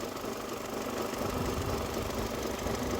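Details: 2002 Mercedes A-Class, 19 years old, at idle: a light, regular knock about twice a second over the hum; a suspected pulley or play at the crankshaft, not confirmed.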